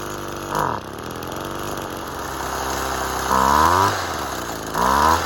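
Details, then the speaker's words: Two-stroke saw on six-month-old fuel, thought to be stale and not combusting well. It smokes heavily and idles unevenly, and three throttle blips rise then sag back. Runs rough, and a tune is not expected to fix it. "nice smokey really smokey um it's the fuel probably would have just evaporated off and it's probably gone a bit stale so it's not combusting as effectively not as it's good running you could hear it it starts and it runs does it run well no"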